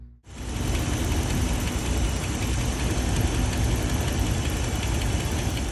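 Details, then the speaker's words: 2013 Dodge Ram 1500, 5.7 Hemi V8 idling with a light, quick ticking over the engine rumble; Hemi lifter tick from a failed lifter that has damaged the camshaft. "i hope you guys heard that that was a small amount of tick um still pretty bad and any tick or any crazy noise is bad"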